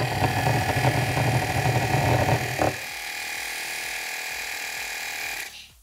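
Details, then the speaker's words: BMW F-series air suspension compressor bench-tested with motor powered directly from a 12 V battery: quiet motor hum, then a steady hiss of escaping air continues; discharge valve suspected stuck open. "And the electric motor, it's very quiet, that is good. But you can hear the air is discharged. Okay, so at this moment I think the discharge valve have a problem."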